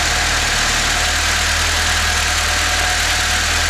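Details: Volvo P1800 with a rebuilt engine just fired up on an auxiliary fuel can, warm at 76°C at the thermostat housing and 71°C at the radiator top tank: even, constant low hum under hiss, no knocks or hunting; healthy, settled idle.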